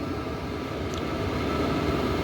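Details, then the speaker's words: New 12V 2kW diesel air heater, bench-tested on high with exhaust out the garage, runs with a steady even blower whoosh, faint hum and the fuel pump's ticking, no rattle or surging; working normally, exhaust hot. "All right, so it's working. You can hear it for sure. That ticking sound is the pump."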